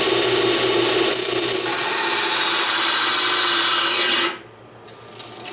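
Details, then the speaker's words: BUCKTOOL dual-speed 1x8 belt sander/grinder, new, stall test on annealed mild steel: steady high grinding hiss of steel on belt, then abrupt cutout as the motor stalls under heavy pressure after cutting quite a bit first. "so is definitely stall but it cut quite a bit before that point"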